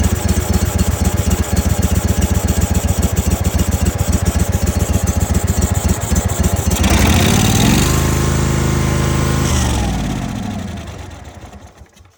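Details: Kohler 25 hp single, heavy smoke and oil from exhaust, after soaking in Sea Foam and carb cleaner: chugs unevenly around 220 firings per minute, revs up and dies; cause of oil in exhaust uncertain, owner unsure if carb or gasket.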